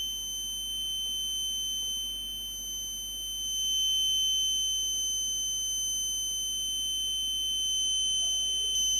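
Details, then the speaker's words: Graphics card powered up on the bench for thermal-camera fault-finding: a steady, unbroken high-pitched alarm tone over a quiet background; the speaker suspects a problem with the 12 V supply, cause unconfirmed, and the card stays cold on the thermal camera. "oh that makes a very loud noise okay that has some problem with the supply so that's not well"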